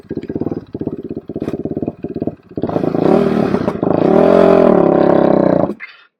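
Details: Quadracer LTR450 single-cylinder ATV, won't take throttle and backfires, possibly loaded up from cranking: choppy chugging idle, strains without building revs; fuel starvation, later traced to dirty fuel injection and clogged inline fuel filter.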